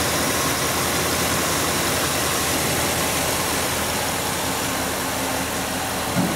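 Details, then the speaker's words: Engine idling immediately after installing a MAF extension: low, steady, smooth idle around 600 rpm with no misses, knocks or hunting; a small relearn is expected over about 10–12 miles. "Okay, here's your idle, smooth as glass, about 600 RPM."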